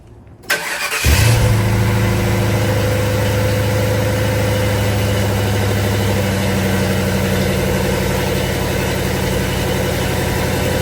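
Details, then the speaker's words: Crown Vic V8 in a C20 frame swap, just started after a sticking starter solenoid: slightly lumpy idle with an uneven beat, dropping between seven and eight cylinders; coil packs blamed for the misfire. "Between seven and eight cylinders. Hate these oil packs. Here it drops to seven and then goes back to eight."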